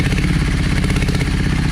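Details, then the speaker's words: Yamaha 650 V Star V-twin, dusty after sitting, cranked on choke: low, lumpy idle with one beat clearly missing. Front cylinder not firing and staying cold while the rear heats up; blocked carb idle jet. "You can definitely tell that that front cylinder is not running. Hardly any heat."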